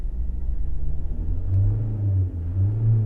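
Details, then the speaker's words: Mitsubishi Outlander 2.2 DiD diesel with EGR valve position fault code, revved from idle: deep rumble rises then stutters and dips before recovering; EGR valve sticking, needs replacing. "Did you hear that stutter there now? That EGR valve is sticking."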